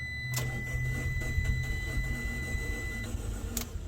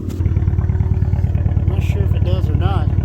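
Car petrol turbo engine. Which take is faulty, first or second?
first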